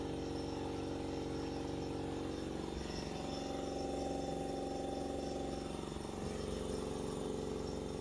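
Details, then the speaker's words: Ingersoll Rand air compressor, first run after replacing the failed motor (old one tripped the breaker): steady electric hum with an even pump pulse of about four beats per second; running normally. "I mean it's an electric motor it's not like there's a bunch of wear and swear and stuff that needs to happen so it should be just A-Okay to run"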